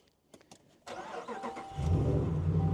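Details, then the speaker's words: 2020 RAM 1500 5.7L Hemi with aftermarket muffler, push-button start: brief crank, clean catch, steady low idle with no ticking over the exhaust note; engine itself fairly quiet, sounds good. "I guess now's a good time to hear if I see if I hear any ticking. Nope, she sounds good. And honestly, on this truck, the engine's really not too loud either."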